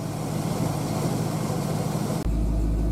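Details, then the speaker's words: 1966 Pontiac 389 V8 after new water pump, divider plates, 180° thermostat and Hayden fan clutch, idling warm at 190 after about 20 minutes: smooth, steady low idle, even beat, no knocks or pump whine; healthy. "She was running 190 after the thermostat opened up. running 190 sitting here idling. Been running the car for about 20 minutes."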